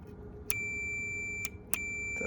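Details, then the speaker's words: Multimeter continuity test on the limit switches of a Brivis Contour L63 evaporative cooler damper motor during repair; short high-pitched beeps, four in about two seconds, showing both switches closing properly; continuity beep, switch closed. "Check this other one. Beautiful. So they're both working."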